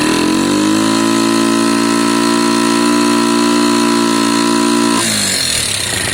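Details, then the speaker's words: Lexmoto Valiant single-cylinder motorcycle after EFI-to-carb conversion; revs climb then hang flat at a steady buzzing pitch at max revs, not peaking, with valve issues noted. "it sounds fine and it's doing its thing it's just not peaking listen"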